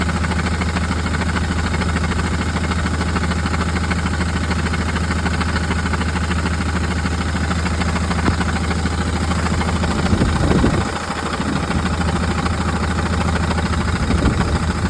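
A diesel van idles with a light, uneven rattle under its steady low engine hum. Cause suspected, not confirmed.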